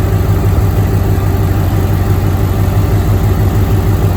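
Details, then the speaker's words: 2007 Mustang GT with swapped-in Coyote V8, first start after swap with no control pack, about 104°F outside: deep, even idle with steady hum and no stumble with A/C on; fan went full, compressor engaged, cold air as before swap; normal. "when i engage the ac the fan kicked on full and you can tell the compressor kicked in and i got cold air as it did before swap"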